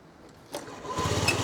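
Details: Old Honda Dio 50cc two-stroke scooter after battery replacement (previously only clicked on key start): quick starter whirr, then it catches and settles into an even, steady putter; starts and idles normally.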